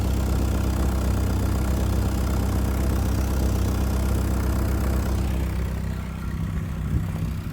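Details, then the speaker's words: 1992 Saab 900 naturally aspirated 2.1 with old exhaust before replacement: low, uneven idle with raspy puffing chuff, exhaust escaping at more than one point; not loud but sounds terrible; exhaust leak. "uh the old one has some leaks uh and it's kind of just uh it sounds terrible it's not loud but it just sounds terrible"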